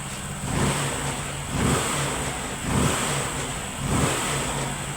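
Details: Honda Pop 100 single-cylinder motorcycle after repair of an engine noise; small single revs rising and dropping about once a second from ~1000 rpm idle, clean and even, no rattle or tapping; problem solved.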